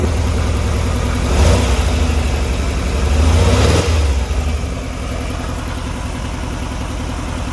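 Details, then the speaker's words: Air-cooled VW Type 3 notchback engine with Pertronix electronic ignition, after the car quit on the freeway and was worked on, holds a low even idle chug with brief swells in revs before settling; runs clean and healthy. "It sounds so darn good right where it is. I just thought I'd go put it under a load."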